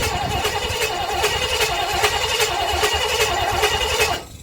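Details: 1958 Chevrolet Bel Air 4-door hardtop, engine rebuilt at a vo-tech but never finished, first start attempt with 2-stroke gas in the carburetor: starter churns in a steady rhythm about four seconds, no firing. Cranks but won't start.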